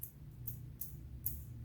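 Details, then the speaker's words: Fishing reel with a one-way clutch, handle turned by hand: quiet gritty rumble with a tick about twice a second. The main bearing still spins freely but sounds rough and needs cleaning or replacement. "Nah kalau saya putar-putar seperti ini ada suara berisiknya nah nah berisik kasar kan teman-teman Nah biasanya dia tadi waktu kita putar di awal suara berisik itu bisa jadi dari bearing utama ini"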